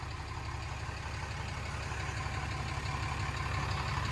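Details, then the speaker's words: 2016 Ram 2500 diesel idling after a new Fleece Cheetah turbo replaced the OEM unit with the failing actuator; break-in idle with the cap open to burp, with no load to flush contaminants; even low clatter, no knocks or whistles; normal idle. "we're going to sit here and let her idle uh I think fleece said in their paperwork uh fire it up and just let let it idle they said 3 minutes"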